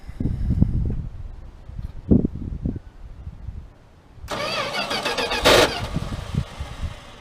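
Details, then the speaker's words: 1979 Dodge D100 pickup, weak starter and tired starter drive, cranked with starting fluid: slow, uneven cranking bursts, then a short ragged catch that dies away. It cranks but won't run; no fuel reaching the carburetor yet. "Alright, let me see if it's getting any fuel into the carburetor now. No fuel yet."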